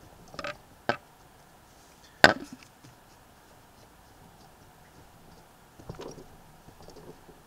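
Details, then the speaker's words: Triumph Tiger Cub engine, primary cover off: faint metallic clunks as crankshaft is pushed in and out via the alternator rotor, excessive end float, plus up-and-down play in drive side main bearing; rotor rubbing stator. "might just be able to hear that clunk it's not much but there shouldn't be any"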